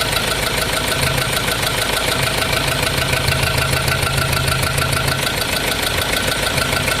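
Sharp, regular knocking about three times a second over the running engine, steady and even throughout; internal engine knock, cause undetermined.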